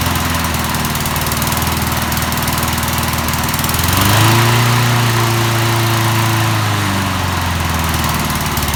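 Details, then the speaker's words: 1988 MTD self-propelled mower small single-cylinder engine, head just refitted, run on premixed two-stroke gas because of water in it: runs steady and even, briefly picks up then settles, no knocking or missing. "okay so it runs not too bad"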